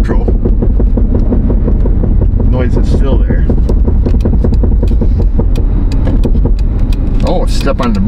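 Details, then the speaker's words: Jeep Liberty 3.7 on the road, on and off throttle: a steady rapid knock of about five beats a second under heavy road rumble, also while coasting. It goes away with light braking. The owner suspected the front driveshaft, but it was a loose rear wheel. "yup the noise is obvious that's off the throttle that's on the throttle don't noise side to side knock knock who's there"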